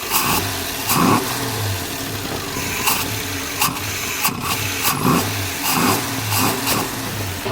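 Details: Car with a newly installed Holley Sniper EFI, idling later after a vacuum leak was found on first start: fairly steady idle with no stumble or hunting, some handling noise around it; normal idle.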